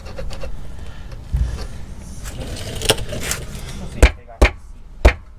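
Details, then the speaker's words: Crown Vic with a reported rear-suspension clunk, checked by rocking the rear quarter panel: three sharp hollow clunks. They turned out to be loose sockets shifting inside the car, not the suspension. "maybe it's a can of monster energy flopping around in the floor pan maybe there's a rock in the frame rail"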